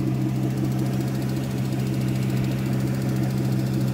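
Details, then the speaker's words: Aston Martin Vanquish, engine warm: steady petrol running with a light even tick/tap at roughly twice engine speed, absent from cold; abnormal valve-train-type ticking that a dealer dismissed as emissions-related, cause unconfirmed. "well clearly this is not normal because every single vanquish ever made doesn't sound like this"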